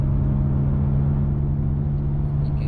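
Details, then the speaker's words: Nissan Sentra while driving: a steady low humming from the rear under road noise, getting louder the faster the car goes; worn rear wheel bearing, fixed by replacing the hub assembly. "hear it the back just that loud humming just run it gets louder and louder the faster you go"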